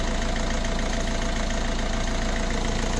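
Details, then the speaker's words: Fiat Scudo 1.6 HDi diesel after repair idles evenly and quietly with a steady low thrum; the earlier top-end tapping came from worn rockers, fixed with 16 new hydraulic lifters, 16 rockers and a camshaft. "все работает в общем вот такая вот была неисправность от что 16 hd ночь упрощает двигатель вообще в идеале сейчас работает тихонько"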